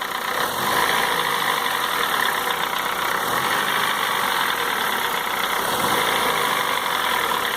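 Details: 2004 Honda Fit 1.4 LXL gasoline CVT automatic at steady warm idle: fast, light valve-train ticking at engine pace, absent at high rpm and mostly gone in gear; exact cause not pinned down.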